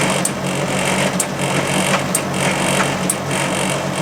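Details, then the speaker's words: Machine on test with the drum spinning too fast: steady high whirr with a knock about once a second as the drum turns. "Why is it spinning so fast? That's what I can't stop."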